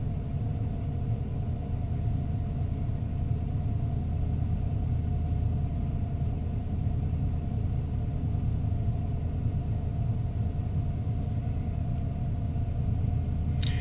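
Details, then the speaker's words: 1994 Ford F-150 XLT, 302 V8, automatic, 81,000 original miles, cold start: smooth, even low rumble at steady fast idle with no knocks, misses or ticks before idling down; healthy, wonderful-running truck, normal cold fast idle. "There she idles down. That was really, that's the process I really like to take these F-Series pickups through, is just so that folks can hear that idle down process. This is a wonderful running truck."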